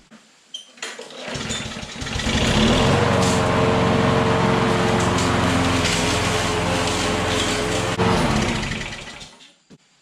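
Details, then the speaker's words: Lawn mower that was tipped on its side, soaking the air filter and intake with oil; run with the filter off, carburetor fine. Steady, even buzz at fixed speed while it burns off the oil; owner expects the smoke to clear. "it's burning oil but i think it's just where it went down in the intake so i'll run it for a little bit if it quits burning oil then this thing is good to"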